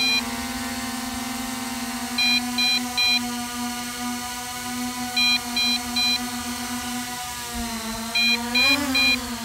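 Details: MJX Bugs 5W brushless GPS drone on 7.4 V 1800 mAh LiPo in flight: bursts of three high beeps repeating every few seconds over steady motor whine, starting when battery reaches 50%; low-battery warning.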